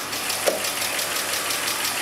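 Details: BMW E46 325i at idle: fast, light, even ticking over a hissy idle that tracks engine speed and the AC belt; valvetrain clicking caused by low oil, oil level sensor faulty.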